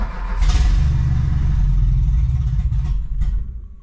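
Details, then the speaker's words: 1986 Renault Espace prepared carbureted engine on ethanol, cold start in winter without choke after pumping fuel; catches and revs up in a rough rising rush, then settles: normal healthy cold start. "un petit démarrage à froid pour vous montrer déjà comment ça démarre à l'éthanol en hiver sans starter avec une prépa donc là le moteur est froid"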